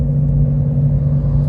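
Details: 2014 Chevrolet Cobalt while driving: a steady low drone under the road rumble from a worn wheel hub bearing.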